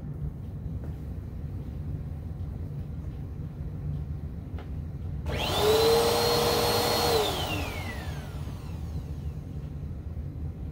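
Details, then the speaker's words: Bissell PowerForce Helix purple brushroll after replacing worn, nearly locked-up bearings, with new belt fitted: short, even motor whine settling for about two seconds with no rattle, knock or grinding; brushroll spins freely and smoothly. "but let's see how this purple power force brush roll came out or more importantly let's hear how smooth it sounds"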